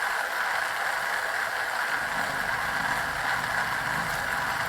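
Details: Well pump used to flush a clogged drain well for a heat pump: hissing, rough churning rattle with no steady pump note. The water has run out, so the pump is sucking air.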